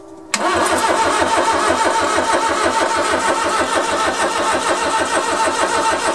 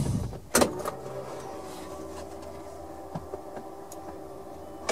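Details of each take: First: Suzuki Carry mini truck, first crank on a 275 CCA battery; fuel pump heard, distributor not yet installed. Fast, even cranking with no firing, clanks or stuck valves. Cranks but no start, no spark. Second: Long-unused Suzuki Carry mini truck on a 275 CCA lawn tractor battery, key-on: a few clicks, then a faint, steady electric hum for a couple of seconds as the fuel pump primes normally; the engine turns over without clanking.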